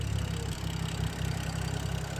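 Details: BMW F10 around a cold air intake cleaning, with the owner pointing at the belt tensioner: a deep idle rumble that pulses unevenly and never settles. Rough idle.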